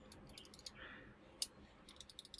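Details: Corsair M65 Elite RGB mouse opened up, testing the switch that was randomly double-clicking or not clicking: sharp, crisp clicks sounding normal; owner suspects the switch is just dirty.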